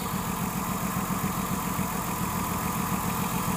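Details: 2006 Ford Taurus 3.0L V6 idling with uneven loping pulse from dead cylinder 5, codes P0305 and P0316; plug was oil-covered, power balance confirmed only cylinder 5 dead.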